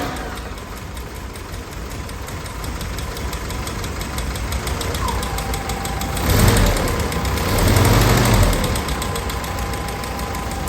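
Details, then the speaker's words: Willys Jeep CJ L134, fully rebuilt engine with rebuilt Carter WO carburetor, cold start idle; light fast ticking about 200 a minute over a low rumble; valve tick, owner says the valves need adjusting. "You'll also hear the engine. I need to adjust the valves. You'll hear that as the engine runs, but."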